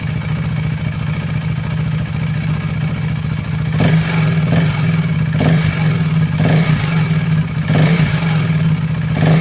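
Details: KTM Duke 390 V2 single after new intake and exhaust camshafts and two rocker arms; the earlier clatter came from gasket maker blocking head oil passages. Blips rise and fall cleanly with only a faint, normal valve tick.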